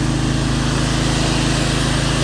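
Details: Pressure washer with 6 hp Briggs & Stratton engine and vertical pump, previously stalling under load, after adding pump protector oil: steady even drone with firm low hum, no bogging, surging or stalling; running properly, pump comes on faster.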